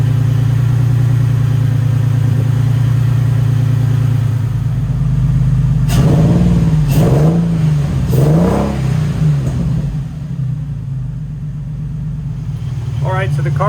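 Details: Nissan 350Z drift build, six-cylinder, warming to temperature: lumpy uneven idle, throttle blips stumble as a cylinder drops out, owner thinks five cylinders running; misfire, suspected bad coil pack, unconfirmed.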